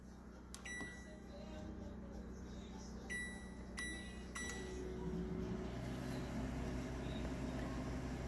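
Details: Household microwave powered by a Predator 8750 generator running the house during a test: a few short beeps, then a steady low hum that builds slightly and holds evenly; microwave working normally on generator power.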